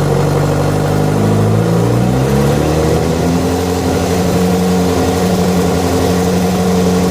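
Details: Yamaha FZ6, noise began after riding ~70 km on two cylinders due to a failed ignition coil connector: engine note climbs under throttle about two seconds in, settling into an uneven, rattly drone; abnormal internal noise when revving.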